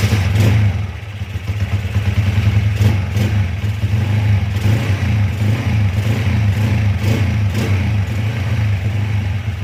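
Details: Honda CB/GL/MP/Tiger-type motorcycle whose kickstarter kicked back, after ignition timing was retarded at the magnet pickup from 15 to 17.5 degrees. The engine fires, idles evenly and picks up cleanly on blips, with no kickback or stumbling. Normal running.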